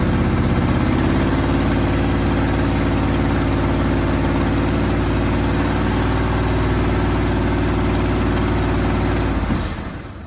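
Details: 1980 Chevy Sierra Grande K1500 V8, sat 22 years, after new distributor, belts and fan installed: deep even idle, steady low rumble about nine seconds, then shut off; healthy normal idle.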